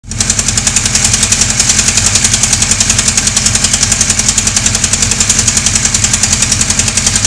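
Steady engine with a hard, regular knock of about three or four beats per second riding on top. Abnormal knocking with no clear cause.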